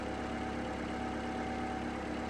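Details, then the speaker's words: Toyota RAV4 after alternator replacement, charging almost 14.5 volts: steady even idle with smooth low hum, the earlier alternator whine gone. "And that alternator sounds much better too. The whine is gone."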